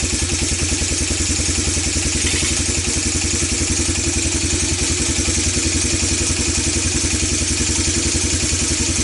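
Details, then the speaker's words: ATV that sat for years, single-cylinder, after carburetor cleaning in carb cleaner and new plug, still on old gas: uneven popping beat about three to four pulses a second, sputtering and rough; owner blames old gas, not confirmed. "burnin oil burnin oil for sure put some good gas in here say out sputter my cap it's exactly what I left the old gas in so we can do this and no that was the gas that was doing that to it"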